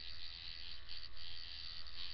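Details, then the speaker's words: Coil tattoo machine after tuning, running at a setting of nine: fast even buzz with a steady low drone and crisp consistent rattle; machine running smoothly and well tuned. "like I said this here is running at a at a nine right now"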